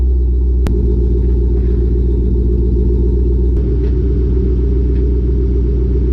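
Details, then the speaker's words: Exhaust pipe of an aftermarket Borla catback hitting the rear axle after the rear coilovers were lowered, recorded by a GoPro under the car while driving: two sharp metallic bangs over steady road rumble as the car goes over bumps. "There. I don't know if you guys could hear that, but that was the exhaust smacking on my axle every time I go over a little bump."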